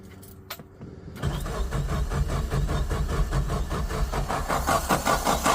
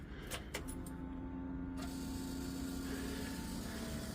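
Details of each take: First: Suzuki Samurai with a new 4–7 psi inline electric fuel pump: starter cranks steadily, two to three beats a second, but the engine never fires. The pump hums yet moves no fuel up; suspected plugged fuel filter. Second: Suzuki Samurai new inline fuel pump, wires soldered with solder heat-shrink connector, key on: a couple of clicks then a steady low electric hum as the pump primes normally and pushes fuel up, no leaks.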